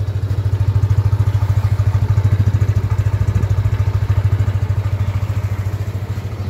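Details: Yamaha Aerox 155 version 1 scooter just after engine overhaul, first start: steady even putt, no knock, slightly high idle; normal idle, timing chain noted slightly worn.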